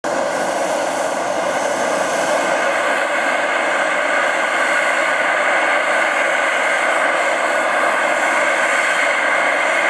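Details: Gas installation heard as a loud, steady, unbroken roar with a hissing edge holding one level; running far too noisily.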